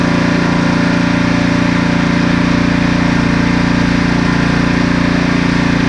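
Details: Husqvarna ST330T/ST332 single-cylinder snowblower that would not start, with black, gasoline-smelling oil. It holds a steady, even buzzing beat of about 2.5 per second with no misses or surging; runs normally.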